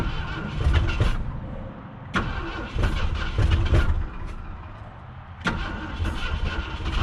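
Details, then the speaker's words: 1966 Ford Galaxie, 352 V8 four-barrel, first start attempt in 26 years after being seized: starter churns in uneven bursts but the engine never catches; owner suspects insufficient fuel at the carburetor and a weak cheap battery. "I don't know if it's getting enough fuel up might need some down the carburetor I don't know for sure you know that are this batteries about had it"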